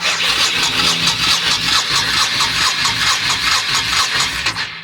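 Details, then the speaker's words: Abandoned 1998 Honda Shadow VT1100 with carb bowls drained and refilled by the fuel pump, choke pushed, controls tampered with. The starter churns steadily at about two beats per second but it never fires: cranking, no start. "let's crank and see if this fills up with gas and fires off nothing um I'm not sure the controls here are all messed up"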